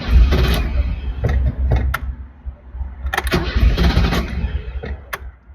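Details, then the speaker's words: 1983 BMW 320i (E21), about 40 years old, on a cross-country drive; first morning start in a parking lot: repeated cranking bursts, each dying off without catching. Cranks, won't start; owner suspects fuel pump losing prime, not fully getting fuel. "car still won't start I'm still stuck here in the parking lot my guess is the fuel pump it's losing Prime"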